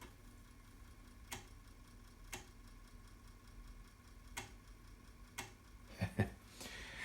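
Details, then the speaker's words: Uncleaned original floppy drive in an Amiga 500 with test disk inserted: sharp single ticks about once a second, then a quick clatter of seeks, never loading; drive not working, possibly head, stepper motor or CIA chips. "Okay, now as you can hear, the disk drive doesn't work. Now it hasn't been cleaned."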